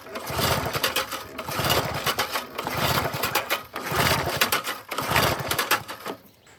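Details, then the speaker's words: 1988 Briggs & Stratton push mower with auto choke and no primer, fresh fuel in a dirty, sediment-laden tank: repeated rope pulls spin it but it never fires; lack of spark suspected, unconfirmed. No-start when pull-starting. "Nothing. And it doesn't have a primer, nothing like that. It's all auto choke."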